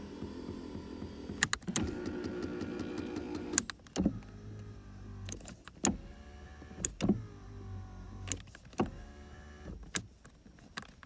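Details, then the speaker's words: 2001 Toyota Camry 4-cylinder, 129,021 miles, non-running car with engine apart, power seats tested: short bursts of electric motor whine, each starting and stopping with a relay click; seat motors run smoothly and work fine. "So looks like all that works just fine."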